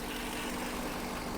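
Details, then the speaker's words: 1997 BMW 740i after years sitting, first start after fuel pump replacement and relay swap: quiet, even idle hum with no stumble, tick or surge, not shaking much; running smoothly. "she's alive she's not even shaking too much either"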